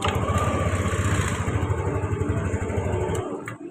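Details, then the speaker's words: Yamaha Lexi scooter after fixing a short that kept blowing the fuse on starting: engine catches and settles into a steady, even putter about four beats a second, no stalling; starts and idles normally. "Motor bisa nyala normal ya, kita gas ya, coba kita gas."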